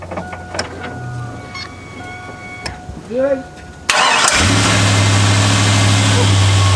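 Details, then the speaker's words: Chevrolet Avalanche V8 that sat all winter, now with new spark plugs and wires, a new mass air flow sensor and old varnished fuel addressed. Quick crank, instant catch, then a steady, smooth, even idle with no misses; normal idle. "And it seems to be running really smoothly."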